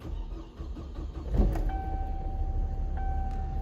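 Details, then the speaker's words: 2007 Hummer H3, earlier crank-no-start, after jumpering broken fuel pump ground to frame (possible water from open sunroof): short crank, catches, steady even idle with accessory whine; starts and runs properly. "and there you have it this vehicle is now starting and running properly"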